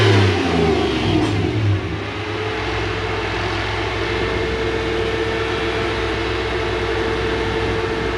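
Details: Toyota 1UZ V8 freshly refitted in a Toyota Hilux Xtra cab conversion, running after fuel pump priming; throttle blips then a smooth, even drone with no knocks or misses: normal.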